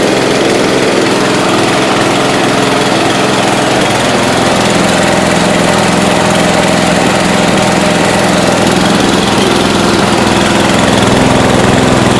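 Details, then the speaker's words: 1992 Yard King lawn tractor, first start after sitting about seven years, cold and on wide-open throttle: loud single-cylinder roar with an uneven, hunting beat; running rough; owner suspects the carburetor is out of tune or valves need adjusting. "it's been sitting for seven years so I'm sure the carburetors been you know out of tune"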